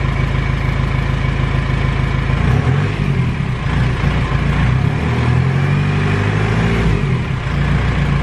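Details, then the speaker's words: R2.8 Cummins diesel swapped into a 1997 Jeep Wrangler, first startup after priming the fuel system: even diesel clatter at idle, then a couple of clean throttle blips with smooth return; sounds healthy. "it sounds good I'm too nervous"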